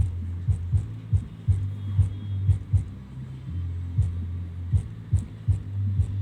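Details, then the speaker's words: JBL SUB140/230 subwoofer after repairing a hi-lo sound problem, reassembled and playing loud music. Deep, punchy bass thumps about every two seconds, clean with no rattle or buzz. Normal bass output. "आप सुन सकते हैं इसका base, इसका पंच, everything is good."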